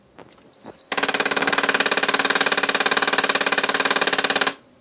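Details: PS4 with no disc inside, after a Sony-advised system reset: fast, steady clatter of sharp clicks, about a dozen a second, for several seconds; the disc drive mechanism is faulty and no disc games play.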